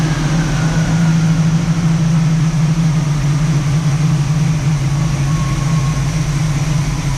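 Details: 1967 Camaro SS clone V8, first startup after sitting parked since 2000, a couple gallons of gas added, ignition hand-wired: deep steady burble at idle, even and unbroken; ran well, nothing concerning yet, fuel possibly running low.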